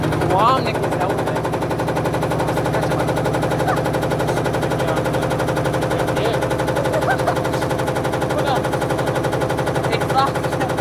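Rapid heavy thumping and knocking that keeps going through the spin, like the drum slamming the cabinet: a badly unbalanced load.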